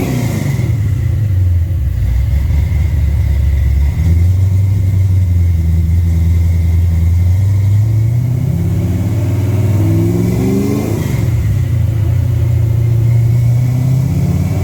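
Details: Mustang fitted with a Holley Sniper setup during a wide-open-throttle dyno pull: deep V8 exhaust drone climbs smoothly and drops off cleanly with no misfire or knock. Runs well under load, though it shows blow-by and burns some oil, with smoke and tire slip noted.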